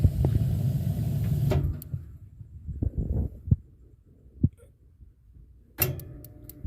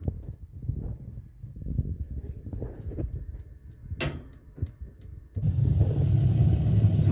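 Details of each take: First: Columbia baseboard hot-water boiler: igniter ticks and arcs at uneven intervals with no flame lighting, intermittently; suspected gas supply to igniter. Cause not confirmed. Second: Columbia baseboard hot-water boiler that intermittently ticks without lighting: steady igniter clicking about three ticks a second, then a soft low whoosh as the burner catches; normal ignition.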